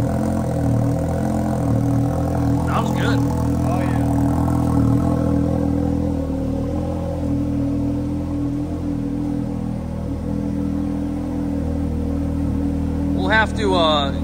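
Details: Can-Am Maverick X3 Turbo R first start after a Turbo RR turbo upgrade, new clutching and a new tune, with the intercooler not yet reinstalled: steady, even idle with no surging or hunting. The old tune surged badly.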